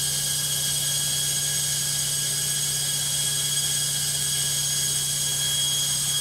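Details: Logik washing machine on spin: loud hissing high-speed spin with a steady high whine over a low hum, noisier than a normal spin; cause unclear.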